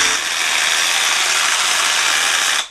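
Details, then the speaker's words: Milwaukee M12 Fuel SDS rotary hammer, new unit, keeps shifting out of hammer mode: smooth high motor whir with no percussive blows. Opened up, cause found to be too much/wrong kind of grease and tight factory tolerances. "you can hear the difference in the hammer drill versus whatever noise that is"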